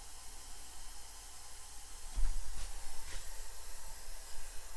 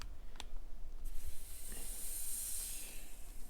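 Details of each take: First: Maple sap vacuum system with pump running: steady airy hiss over a low pump hum with handling knocks, air drawn in at a loose line fitting; after tightening, vacuum reads 23 inches and climbing. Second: Maple sap vacuum pump system after tapping trees, valve opened to the line: soft steady hiss rising with light low rumble behind; vacuum drawing normally, checking for leaks.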